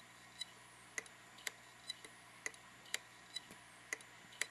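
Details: Hitachi Deskstar 5K3000 2TB hard drive that was kicked while transferring files in a dock: continuous sharp, dry clicks about twice a second over a faint hum. The computer doesn't recognize it; cause unconfirmed.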